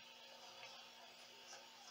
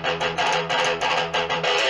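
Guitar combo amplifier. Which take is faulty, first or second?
first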